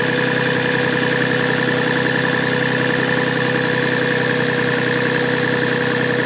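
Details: Yamaha 1G-GE engine at cold idle: a steady, fairly regular light knock at about three and a half per second rides over the idle; cold-start knock, cause not pinned down.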